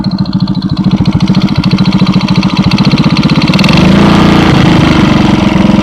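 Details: 110cc single (Alpha) at idle after base gasket replacement, valves set 0.05/0.07, doubled base gasket, new timing chain and tensioners: sharp ticking knock about three a second, easing as revs rise; top-end knock, cause unknown.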